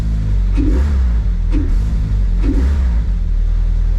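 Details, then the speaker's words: Toyota MR-S with big-turbo 1.8 20V swap, Ignitron ECU base map, first run with no coolant, no smoke: strong steady running with three quick even blips about a second apart, pulling cleanly; normal revving. "it seems to [ __ ] run let's go and have a look if anything's leaking"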